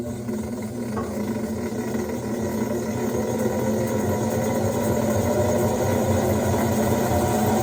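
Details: Whirlpool top-load washer after replacing the tub hub and wash plate, fixing a no-spin, no-wash fault with a weird noise: even swishing motor drone that builds and holds steady, no grinding or clunking; agitating normally.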